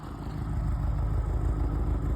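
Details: Subaru EA81 boxer engine idling low with an uneven, fluttering, sputtering beat, running rough; owner suspects ignition and fuel faults; engine doesn't like the cold.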